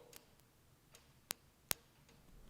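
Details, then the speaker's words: 1967 Ford F-250 with a 5.9 Cummins from a 1993 Dodge Ram, not started in two years: two crisp clicks as the fuel shutoff solenoid is energized from the positive battery post. A normal solenoid shift. "and you can hear this the fuel solenoid shifting so we got that all in order"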